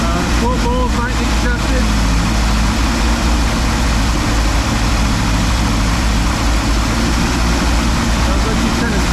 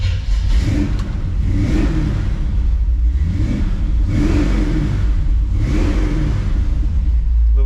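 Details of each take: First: 1957 car (V8) just converted from FiTech injection to a rebuilt Holley carburetor, first run in about a month, timing not yet set: holds a fast steady idle, never drops to a slow lope; high idle, cause unconfirmed. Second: '57 big V8 after swapping the FiTech fuel injection for a rebuilt Holley carburetor and changing the distributor, pumped before starting: blipped up and down a few times, revs climb and fall cleanly with no misses or sputter. Normal revving.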